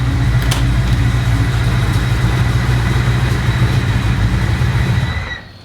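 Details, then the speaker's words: V8 truck with new homemade stainless X-pipe exhaust, idling: loud lumpy idle with thin steady high whine above exhaust, owner suspects water pump or maybe alternator. "actually sounds like you can hear what sounds like a water pump maybe over the exhaust"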